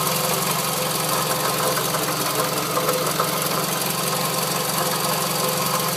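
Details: Scion tC at idle before repair: steady, rough, quick, uneven knocking rattle that stays constant without revving; owner feared rod knock, but the cause was a failing water pump, and replacing it removed the noise.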